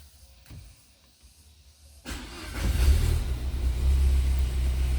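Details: Peugeot 307 SW with antipollution fault, mixture regulation code, MAP reading 499 mbar at idle versus 350–390 spec: quiet, then cranks and catches into a lumpy, uneven low idle; head gasket blown between two cylinders.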